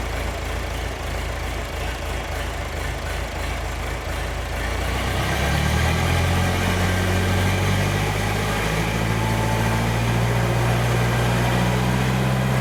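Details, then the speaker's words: John Deere 310 diesel tractor engine before overhaul: fires up and settles into a heavy low idle whose pitch hunts up and down; governor problem inside the injection pump suspected, engine also tends to run away on start. "as the engine's idling at a low idle the uh it wants to hunt for an RPM in which to to idle at so you can you can hear the engine up and down up and down up and down I suspect that there is a governor problem"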